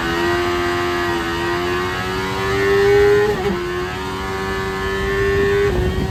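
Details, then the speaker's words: Turbocharged Miata with CBR1000 engine on an AEM FIC piggyback, during a boosted road-tuning pull: the engine note climbs to a high wail without matching pull, then dips and grabs. The clutch is slipping under boost; the turbo spools around 6,000 rpm, loading the clutch. "Did you hear that? Did you see that? Yeah, that would be the clutch slipping."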